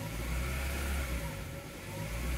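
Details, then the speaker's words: 2000 Honda Prelude SH H22 cold at idle, foot off the pedal: idle swells and sags in slow waves about every second until warm; holds steady without misfire when rpm is held; surging idle. "but if I let it sit down at idle this is me off the pedal it just does this at an idle until it starts warming up"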